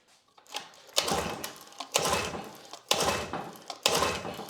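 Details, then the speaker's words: Grandfather's old Evinrude 6 hp Fisherman outboard (bought 1991, pulled from a barn), new 3/8 fuel hose, choke on. Recoil pulls turn it over freely but it never fires. No fuel reaches it because the fuel inlet is completely clogged. "Well, it's gonna fire. I don't know if it's getting fuel though. I would argue it is not getting fuel."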